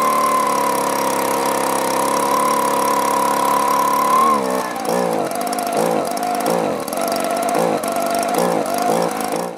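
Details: Echo two-stroke blower with an aftermarket carburetor, after a new plug and half choke: holds a steady high rev, then hunts and surges as it falters; fuel starvation, owner suspects a clogged or gummed carburetor.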